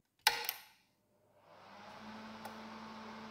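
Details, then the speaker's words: Stairville AFH-600 DMX hazer after adding a timer relay to cut pump output periodically: sharp clicks of the relay switching each time, pump hum rising behind; relay working normally. "on entend bien le rela qui claque à chaque fois ici"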